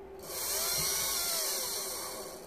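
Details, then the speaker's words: Mitsubishi Shogun with HBB brake system, no brakes, ABS and brake lights on: the repaired brake booster pump motor, bench-run on 12 volts, spins up to a steady high whir at even pitch, then coasts down; normal motor run. "we try the opposite way although the motor will only turn one way obviously and it's working lovely"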